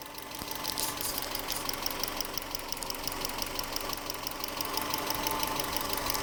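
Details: 1996 Subaru Legacy Outback 2.2L EJ22E, 165k miles: light sharp ticking about three per second at idle, speeding up with revs, cold or hot, equal both sides; began around last oil change with different filter; owner suspects injectors or valves.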